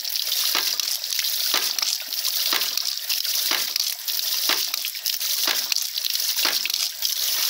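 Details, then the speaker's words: Homemade ram pump with a spatula-spring waste valve, weight added on the valve: sharp water-hammer slaps about once a second over rushing flow; slower cycling gives bigger hammer, more waste water and more output; valve cycling normally. "you hear how slow that is you got a bigger water hammer more wastewater and more water output"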